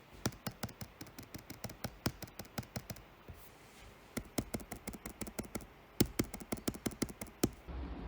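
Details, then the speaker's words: Lenovo Legion 5i Pro 2022 (12th gen Intel, 3070 Ti) second unit, trackpad tapped; light taps with loose hollow click on the right side, as on the first unit, so likely how they're built; trackpad rattle. "all of them seem to have a rattle from here to the right so that makes me think that it's more just how they're built and what you should expect"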